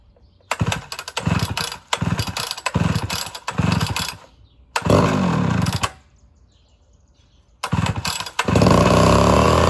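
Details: Homelite Super XL chainsaw after cylinder rebuild and carburetor rebuild, carb screws set one full turn each: several pulls, then it catches and holds a crisp steady two-stroke buzz; runs normally, may still need tuning.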